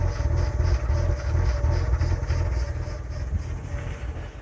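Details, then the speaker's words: 2000 Lincoln LS, warm start, throttle position reading 16.9% at idle, fuel trim swinging -14 to 0, air leak suspected: deep idle rumble that swells and sags unevenly; hunting idle. "Now it's -7. Now it's 0, and now we're into the womp and a womp thing again. So yeah, it's got a weird little bug in it."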